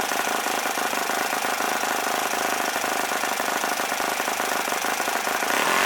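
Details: OS FS-40 Surpass model four-stroke glow engine, first run after bearing replacement and full clean, new Enya No. 3 glow plug, 11x6 APC prop: steady high buzz near 9,400 rpm, no misses or surging; runs well.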